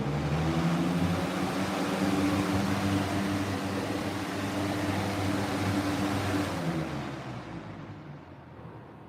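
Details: Old fan, model 3733 revived, started on high: runs steady with an even low hum and smooth airflow, then winds down gently; healthy motor with no rubbing despite a warped guard.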